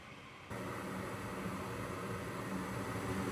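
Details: Goodman GMS80804BNBD gas furnace before repair: loud steady whooshing roar with low droning hum starting abruptly, from a noisy draft inducer fan; fixed by replacing the inducer fan with gasket.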